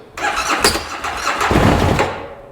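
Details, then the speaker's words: 2013 Bennche Spire 800 side-by-side, on a swapped ECU with a low battery: engine catches and runs roughly about two seconds then cuts out abruptly; owner unsure if power loss or fuel pressure, plans a fuel-pressure check. "Boy, she wants to start for a quick second and then stop. And it just, you see how it abruptly stops."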